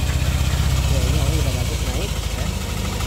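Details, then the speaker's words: Yamaha All New NMAX 155 VVA, fairly new, after replacing the outer crankshaft bearing that caused a rough engine noise; soft, smooth idle at about four beats a second with no grinding or knock; normal idle. "itu motor sudah nyala suara sudah halus oke masalah sudah clear hanya dengan melakukan pergantian bearing csap yang sebelah luar ya"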